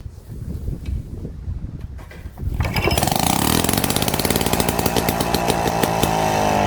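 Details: 70-year-old Victa 18 two-stroke mower after full engine rebuild (worn bore, rings, conrod), first test start: a few pulls, then fires and settles into an even crisp buzzing run at steady speed; healthy normal running.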